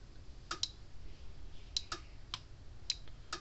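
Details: Red Snap'r 25 mile fence energizer under repair, fence tester across the terminals reading about 9500 volts: sharp dry clicks roughly one a second with a few doubled snaps in a quiet room; transformer good, firing pulses normally.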